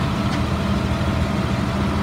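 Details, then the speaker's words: 2003 Blue Bird All American 72-passenger school bus diesel, running about an hour but not building air pressure: deep, steady rumble at even idle with no knocking, ticking or surging; normal idle. "the body looks straight motor sounds good it's been running for just about an hour but it's not building any air pressure"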